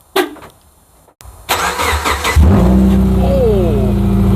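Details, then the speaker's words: 2009 Subaru Forester that suddenly became extremely loud: it starts and settles into a very loud, raw, deep, unmuffled blatting idle; the muffler or part of the exhaust is apparently gone, pointing to a broken exhaust under the car. "okay so clearly the Buffer's gone or something is gone let's crawl underneath and see what's going [Music] on so as cool as that sounded I hope I didn't hurt anybody's ears or blow anybody's earbuds or ear pods uh and I really don't think that the neighbors would appreciate this cuz it is super loud"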